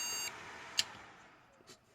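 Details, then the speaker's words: Desktop PC motherboard removed from the case and jump-started on the bench: fan runs, then a few short high thin POST beeps, which did not occur in the case; owner suspects case standoffs, unconfirmed. "the fan running and now it start beeping okay"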